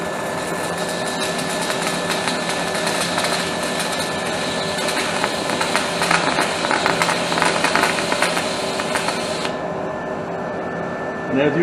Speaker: as you can see, it splatters quite a bit. Typical though, that's typical of a stick weld.